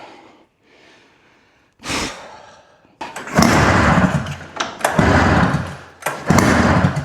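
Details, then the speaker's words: Old Arctic Cat snowmobile that sat outside about 10 years, freed from seizure, spark present, about 120 compression, on gas, oil and starting fluid: repeated pull-cord cranking bursts, coughing but never catching; cranks but won't start, cause not found. "You can hear this thing attempting to fire up, but it just will not go."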